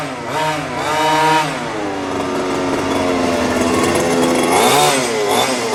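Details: New HPI Baja 5T small two-stroke, first slow drive after ~30 s warm-up idle: buzzy engine climbs and falls cleanly with each throttle blip, no bogging or cutting out. Running properly; idle slightly high, to be tuned after first tank or two.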